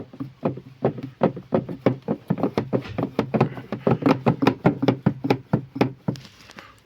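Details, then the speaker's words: Lada Priora with fully replaced suspension and steering rack, knock persisting: quick hollow knocks three or four a second as the loose cabin heater core moves sideways and up inside its plastic housing. "вот отсюда хорошо отчетливо проглядывается как она внутри гуляет печка и в бок идет и вверх идет"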